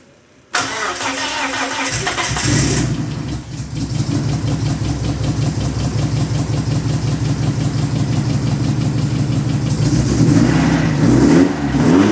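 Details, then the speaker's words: Dodge Neon stock car after crash repairs: cranks and catches, then a fast idle with a rapid rhythmic scrape and smoke from the timing belt end; timing sprocket rubbing an overlong wrong upper motor mount bolt. "All the smoke coming out of the timing belt was this bolt that goes into the upper motor mount. I guess it's the wrong one, and it was too long, and it was touching the sprocket."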